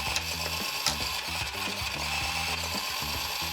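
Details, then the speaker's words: Traxxas RC car's stock 2075 steering servo with a brushed motor and plastic gears: rapid, uneven ratchet-like chattering clicks as the steering moves, the gears skipping; failing servo, to be replaced with an aftermarket torque servo. "As you can see, the servo is not doing too well. And this is the stock servo."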